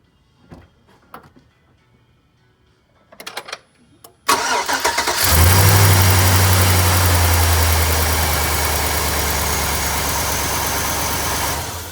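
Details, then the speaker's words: LS V8 in a 1999-or-later Chevy truck, first start after bracket repair of broken exhaust manifold bolts (two gaskets fitted): cranks, catches, fast idle with a quick even tick; exhaust manifold still leaking, bolts need further tightening. "so obviously it's still leaking so we'll have to tighten it down some more and more try beginning"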